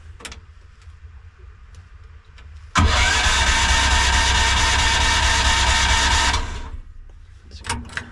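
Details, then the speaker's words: AGT Industrial H13R mini excavator buried in mud all winter with the battery left in, cold-started on choke with throttle about 3/4; brief crank then catches and runs steady about four seconds; slight struggle but it started. "Nice. That's pretty crazy. So, leaving the battery in the machine the whole winter. Slight struggle in the beginning, but it worked."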